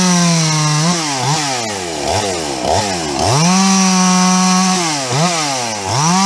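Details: Husqvarna 350 chainsaw "Fugly" with Huztl top end, back after months on the road and field repairs (gas leak fixed); crisp throttle blips falling cleanly back to steady idle, no bogging: healthy normal running.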